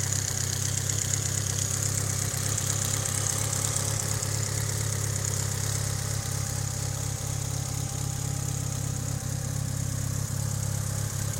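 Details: Mitsubishi Evo 8 warm idle: light, quick ticking keeping time with engine speed; suspected lifter tick, not confirmed.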